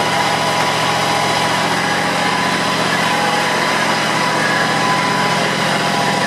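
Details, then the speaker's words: John Deere X320 mower, 260 hours, first start after PTO clutch bearing replacement and new belts: even steady drone at constant speed with no knocking, grinding or squeal; repair called semi-successful. "so I'll fire up right now and we'll see if there's any change"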